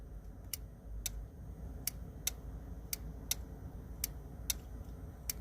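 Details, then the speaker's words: Automotive relay in fuse panel energized with a power probe: sharp crisp clicks about every half second over room hiss; relay contacts switching normally. "So that click is the relay, the contact moving over inside there."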